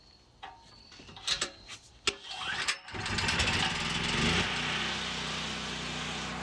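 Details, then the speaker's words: Generac GB6500 generator with COSense: a few pulls, catches and runs steadily, then the CO-sensing module light flashes about three times and the engine quits; engine stalls shortly after starting due to a faulty CO sensor module. "I don't know if you saw it that light flashed about three times and then it quit that's what it does it just stops"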